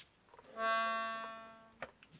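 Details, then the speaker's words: Accordion under restoration, bass reeds an octave up on the tuning table: a single reed note on the pull holds a steady bright tone plainly above pitch; C sharp on pull, G slightly sharp on push, D sharp both ways; sharp reed needing flattening. "So let's start with C. So C on the pull with sharp. Let's go to G. G on the push with a little bit sharp, not very much. So the D was sharp on the push and pull."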